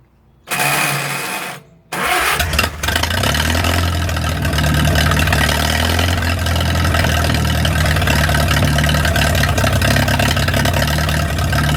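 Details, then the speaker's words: 1937 Willys flathead four-cylinder generator engine, sat outdoors 15-25 years, after fixing a leak: quick crank, fires and settles into steady even idle while warming, no misses or knocks. "I'm just gonna let it sit there and run for a little while, warm up."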